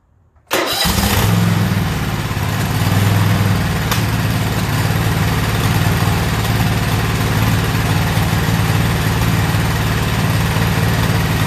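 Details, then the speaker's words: Toro zero-turn mower with no-start issue, possibly low on gas, wet spark plug, old plugs, after brake-cleaner help: engine catches and runs roughly with backfiring and sharp pops. "we're going to fire it up you'll hear it back firing and popping and what"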